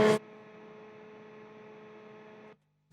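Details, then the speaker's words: Amptweaker high-gain pedal with about five pedals powered by a daisy chain sharing a ground; steady low mains buzz with hum and overtones, constant then cut, mostly from the Big Sky, its supply ripple picked up as AC signal. "We are using a daisy chain to chain, I think, 5 pedals together. The interesting thing about this is what's actually causing the majority of that noise is the big sky."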